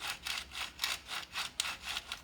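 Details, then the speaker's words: Porsche 996 dual-mass flywheel (Sachs clutch) turned slowly by hand, springs back fine: dry, papery crunch like crumpled paper inside, about six scrapes in two seconds; owner wonders if debris such as a leaf is inside, cause unconfirmed. "it's like it's like there's some crumpled up paper stuck in there or something"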